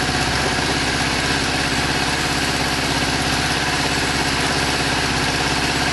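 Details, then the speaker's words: Kawasaki GPZ600R four-cylinder, first start with choke after standing over 18 months: rough, lumpy idle with one cylinder dropping out, running on three while the fourth tries to catch; misfire on one cylinder. "Sounds like it's running on 3 cylinders, but not bad for 18 months off the road. Definitely running on 3. Let's give it a minute and see if it wants 4. I hear the 4th trying."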